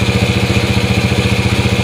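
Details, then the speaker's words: Yamaha Moto-4 Champ ATV first started on a jump pack, fitted with an SDG 110cc pit bike intake manifold and a Honda clone carb: even, steady single-cylinder putter at a fast regular beat with no misses or knocks; runs pretty good. "so we got it running actually runs pretty good sounds pretty good not bad eh"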